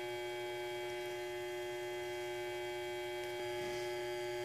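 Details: Electrolux washing machine that hums but won't spin, motor run with belt removed; steady low electrical drone with nothing turning, motor not starting due to loose, burnt capacitor wire.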